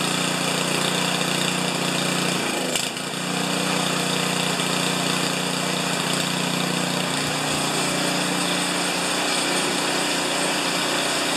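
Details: Craftsman 824 snowblower, 205cc 7hp engine (reported won't start or won't stay running), after carburetor fitted, primed and manually choked while hanging: steady buzzing run with no surging or dying, one brief clatter; holds speed fine, normal running.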